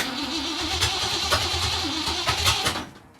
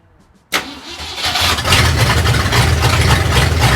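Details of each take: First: 1964 Mercury Comet Cyclone, 289 V8 with T10 four-speed, first start attempt after purchase, no mufflers; starter churns about three and a half beats a second with no catch while distributor is turned to adjust timing after setting TDC. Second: 1964 Mercury Comet Cyclone 289 V8, 4-speed T10, no mufflers, first start after distributor adjustment: starter catches and fires straight into a loud, deep, even lope with no misses; normal start and idle.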